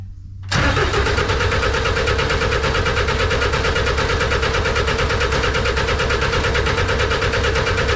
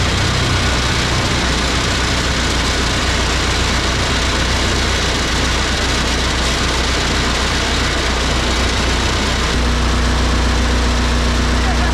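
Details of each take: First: Snowcat turbo diesel first start after bleeding the fuel system. Steady cranking at about two beats a second that never catches. No-start because the fuel pump fuse was missing. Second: Fairly used turbo diesel in a snowcat build, just started for the first time. Steady, even low clatter settling to a smooth idle, with loosely screwed cab panels rattling over it; smokes a little. Engine sounds healthy.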